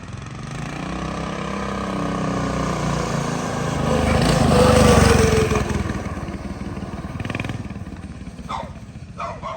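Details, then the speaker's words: Big block single-cylinder mini bike on test ride revs up then sags and stumbles as throttle closes, dying instead of holding idle; owner suspects it needs a bigger pilot jet for more idle fuel. "Yeah, definitely needs a bigger pilot, I think, still. It keeps dying. It doesn't want to idle. It needs more fuel, I think, at idle."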